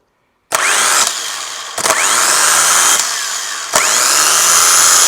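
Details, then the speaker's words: Starter motor from a non-running Renault Master van, run on the bench; spins up three times with a harsh rattly high helicopter-like whine from badly worn bearings, needs replacing. "So, the starter motor, even though it sounds like a helicopter, does sort of work."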